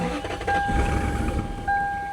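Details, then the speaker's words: Lexus LS400 abandoned for 10 years, being started on fresh fuel: it cranks, catches with a strong burst, then stumbles and dies within a couple of seconds. Owner suspects clogged injectors; vacuum lines also need reconnecting. "I'm hoping that maybe we just need to get that fresh gas into those injectors. Injectors are probably all kinds of clogged up. Hear how strong it fired that time? She's sure trying."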